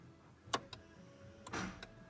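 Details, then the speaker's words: Ford Ranger transfer case with newly installed 4x4 shift motor, heard in quiet cab: switching to four-wheel and back to two gives sharp click, brief motor whir and closing click each time; motor engages cleanly. "so you guys can hear it right if you listen four wheel and then two perfect"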